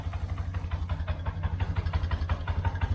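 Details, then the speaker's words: 1999 Yamaha Bear Tracker 250 ATV after fuel flush and carb cleaning, cold: single-cylinder steady, slightly lumpy, a little uneven thump but running cleanly; sounds fine, may still have some debris in carb. "Sounds good. Barely pushed it in. It ain't warmed up yet."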